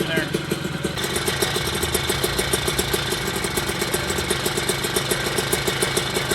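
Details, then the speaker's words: Puch Maxi vintage moped with a 70cc kit, second heat-cycle run after first start-up (it died earlier from too much gas): quick, even two-stroke popping idle with no misses or hunting; normal idle. "i just had the bike running and everything sounds really good especially at idle"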